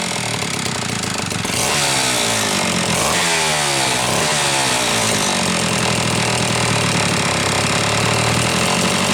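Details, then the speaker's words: Homelite Super XL chainsaw after starter spring fix and replacing a bad new spark plug: revs up and down, then drops to a low, steady idle with no stumbling, idle screw backed off far, evidence it had been running lean; running healthy. "I want you to listen to How Low this is idling and see how far this is backed off further evidence that she was running leaned"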